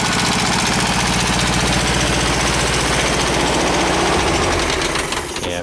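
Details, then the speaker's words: VW bus air-cooled engine, compression gauge in cylinder four, which did nothing when shorted out and has two tight exhaust valves: steady cranking with an uneven beat, one stroke noticeably easier; low compression in that cylinder. "much anything under about 80 90 lbs is not going to be enough to run that cylinder so that's my problem right there"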